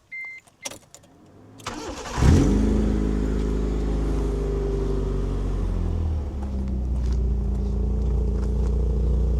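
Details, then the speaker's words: Proton Satria GTi with Mitsubishi engine and ram air filter, warm engine: cranks and catches, then idles with a fast, puffing tick riding the exhaust note; significant exhaust manifold blow. "It's got a slight blow in the manifold, or slight blow. It's got quite a significant blow in the manifold."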